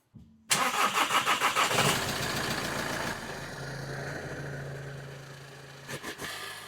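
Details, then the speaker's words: VW T6 Transporter diesel after a fuel filter change, with the system primed via the low-pressure pump diagnostics; quick crank, catches immediately and settles into a smooth, even idle with no misfire or knock; no leaks. "Right, that's her all run up and no issues."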